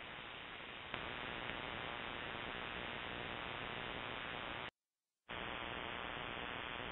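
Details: Ham shortwave receiver: loud steady broadband hissing buzz across the band with brief dropouts; RFI persists with house main breaker off, switches off nightly at 7:31 pm on a timer; source unknown (grow light or powerline suspected).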